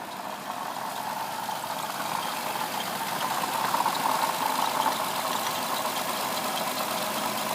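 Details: 2007 Lexus IS350 at idle: light uneven rattle, knock and faint squeak from the front side of the engine; owner suspects a bad water pump, cause unconfirmed.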